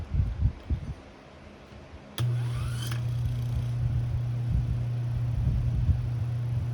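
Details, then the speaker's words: Antique Delco motor after repair of stator lead wires, centrifugal weights slightly cracked: spins up with a brief rising whine, then a smooth, steady low hum with no knocks or rubbing; runs really good. "But it runs really good."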